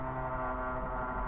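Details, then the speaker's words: Jaguar XJS V12 track car, first start after nearly three years stored: fuel pump one fills the carburetors from the surge tank, a steady fixed-tone electric hum with no breaks or rattle; normal priming. "there we go we can hear the fuel pump starting to load down"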